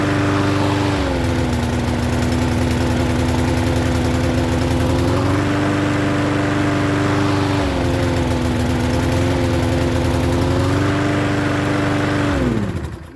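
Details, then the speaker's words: Troy-Bilt self-propelled mower with Briggs engine, restarted after sitting ~20 minutes, starts first pull; tilted back to check self-propel wheels, it sags and recovers several times, half-stalling, before dying down; runs great set down. "as you saw every time i tilted it back it was half stalling it wasn't running good you put it back down it runs great"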